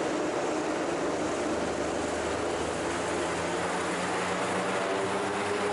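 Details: Raptor prototype aircraft engine after the redrive belt fix and tune-up, ground run in wind with a bit of prop pitch added, expected to give about 3,600 rpm: steady, even propeller roar with no surging. Normal engine run-up.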